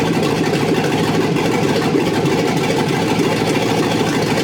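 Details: Chevrolet SS TrailBlazer 6.0 LS2 first start after fresh rebuild (new crank, main, rod and cam bearings, Trick Flow cam, new gaskets and seals), manifolds not yet connected to exhaust: loud raspy steady idle, crisp open-manifold pulses, runs evenly; normal idle.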